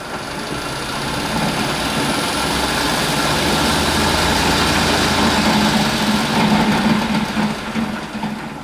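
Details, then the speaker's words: Electric-converted BMW 320i on its rear wheels: rapid, uneven banging and grinding over drivetrain hum when regen slows the motor, as the slot in the splines of the motor-to-transmission adapter bangs; driveline backlash under regenerative braking. "You hear the banging when I bring the regen in because the motor"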